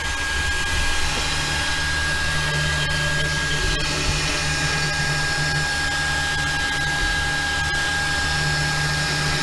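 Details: Anycubic Mega Pro 3D printer while printing: steady fan whoosh, faint constant whine, soft motor hum, no rattles or clicks; reasonably quiet, normal running. Only a slight print-head fan rattle at startup is noted, not present now.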